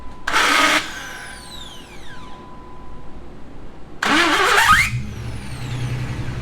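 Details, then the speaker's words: Model AA truck with a newly installed replacement starter: a whining, grinding crank with a sweeping pitch before the engine catches. The starter may have been installed wrong or be a poor-quality part. "You can really hear the pain of this."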